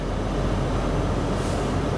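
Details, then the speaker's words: 2015 Toyota Sienna 2WD in snow, warming up with HVAC on: front defroster blower gives a steady, even rush of air over a low engine hum, with no rattle, squeal or flutter; normal operation. "So you can hear we got the front defroster on there."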